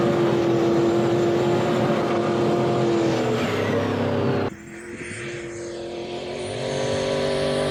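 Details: Turbocharged 1951 dually truck with a V8 that was not running right. It pulls hard with a rising turbo whistle, then the note breaks up and drops off abruptly under load: misfiring at high boost and revs. Cause suspected, not confirmed.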